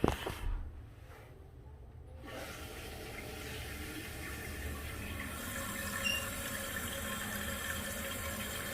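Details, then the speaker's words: Toilet tank after replacing universal flapper that caused ghost flushing: steady rushing hiss of water refilling, even with no squeal or chatter, then quiet when full; normal refill. "tank is full you hear that no noise sounds like money in the bank"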